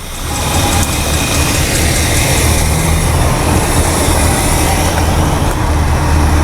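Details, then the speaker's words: Mercury 390 Ford FE V8 idling with the failed power brake booster vacuum line pinched off. Deep, even V8 rumble holding steady with no stumbles: smooth idle. "that's an easy way to check it just pinch It Off and now she's smoothing it right out"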